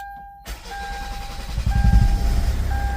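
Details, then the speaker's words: 2012 Kia Sorento diesel after repair for loss of power and hard starting (P0087, P1186): short crank, quick catch into an even clatter. Fuel pump now makes 50 psi versus 30 max before; starts better than before. "and the vehicle starts up better than before so yeah I'm going to definitely call this a fix for sure all right so"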